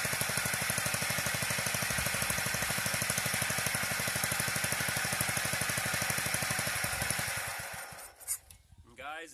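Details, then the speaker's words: Old industrial Wisconsin single-cylinder reduction engine from a cement mixer, carburetor just cleaned, running an even chug about three beats a second with a dry metallic rattle from the reduction chain drive needing oil. "she does start run sounds like the chain drive on that reduction need some oil though so I don't want to run it very well"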